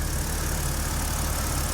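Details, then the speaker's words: BMW N52 petrol engine after lifter tick fix by repeated revving to 4–5000 rpm to bleed the hydraulic lifters; now dead quiet, smooth steady idle with no top-end ticking. "it actually kept right i mean go check this out it's dead quiet there's the lift and always gone lifting it's"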